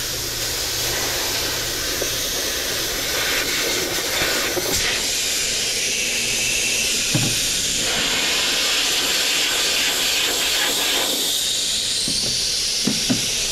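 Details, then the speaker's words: Goodman heat pump condenser being repaired for a piston restriction, nitrogen flowing while brazing joints: strong steady high hiss of nitrogen escaping the lines, with light clanks from handling. Normal purge. "looks like I got that hot anyway even though I had that here too you see that that's just nitrogen coming out"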